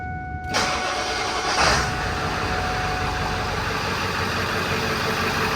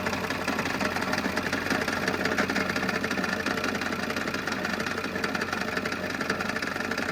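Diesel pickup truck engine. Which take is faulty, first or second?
second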